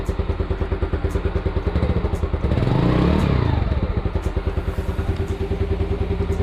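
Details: Yamaha Mio Sporty single-cylinder scooter after valve cleaning and reassembly, previously backfiring: even putt-putt idle of about three beats a second, a brief throttle blip, and no pops or bangs.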